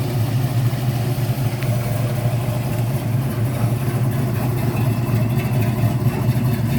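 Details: 1972 Ford Mustang Mach 1 with rebuilt 351 Cleveland Cobra Jet V8, Wolverine Blue Racer cam (510 intake/536 exhaust lift, 290 duration), after rebuild: deep, even idle with steady low rumble, no knocks, ticks or misses, healthy.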